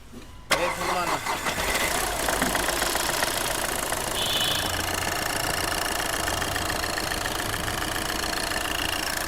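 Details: Skoda Fabia diesel, cold after standing two to three days, low oil level, smoke, no pickup, coil light blinking and check engine light on: starts and settles into uneven, lumpy clatter with irregular stumbles; failing injectors causing misfire.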